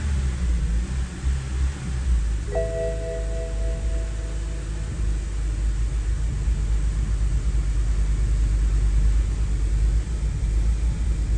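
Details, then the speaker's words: BMW E90 325i N52 petrol six, right after new MAF sensor fitted, before spark plug change: low, uneven idle rumble with irregular thumps, still misfiring; worn spark plugs suspected; rough idle misfire. "Okay, unfortunately the car is still misfiring, as you can see."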